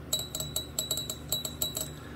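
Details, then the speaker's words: Clicking pings as the strings bind in the guitar nut slots of a G&L guitar during setup after the nut was shaved and topped down but its slots left untouched; heard when pushing back on the floating bridge, with a roller string tree fitted. "that clicking sound well that's the strings binding in the nut over here now if you remember i shaved and topped and nut down but i didn't do anything with the nut slots that are in the nut for the string"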